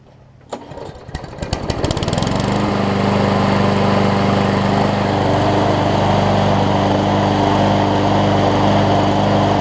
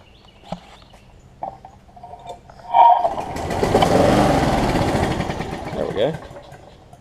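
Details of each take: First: Scotts push mower with a Briggs & Stratton Quantum engine, after a carb clean (it had a fuel leak) and a replaced self-propel lever: a few pulls, then it catches and settles into a smooth, even, steady run with no misses or knocks. Normal running. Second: Sat-unused Scotts push mower, Briggs Quantum engine, plug checked good: after a pull it catches, runs unevenly, surging and stumbling, then dies; rough running, owner suspects carb needs cleaning, fuel leak also noted.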